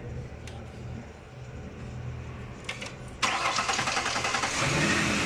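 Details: 2010 Ford Explorer after repairing electronic throttle body actuator motor wiring (had misfire, RPM hunting, no pickup, check engine light, codes P2100/P2104/P2107): quiet hum, starter catches at about three seconds, engine fires into steady even run; clean start.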